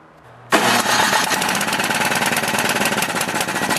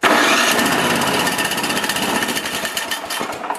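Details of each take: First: Used snowblower engine, body in good condition: it fires up and keeps a steady, regular knock of about four a second; possibly a loose connecting rod, not confirmed. Engine knock. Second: Used snowblower being checked before purchase: the starter spins the engine briskly and it catches almost at once into a rattly small-engine run. Normal starter cranking and start.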